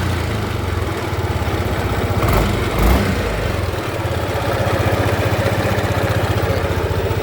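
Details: Yamaha N-MAX scooter at idle with a rough rumbling mechanical churn from deep inside the engine and no tapping on top. Caused by a worn crankshaft bearing.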